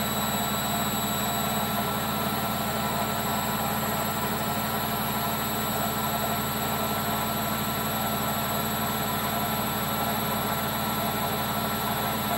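A constant loud roar with a steady whine on top throughout the fast spin, which points toward worn drum bearings. Cause suspected, not confirmed.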